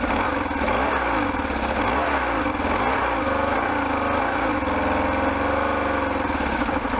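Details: Restored 1998 BMW R1100RT boxer twin, first run after restoration, throttle bodies not yet tuned: fires up and is blipped a few times, pitch rising and falling cleanly before settling; nothing abnormal is heard.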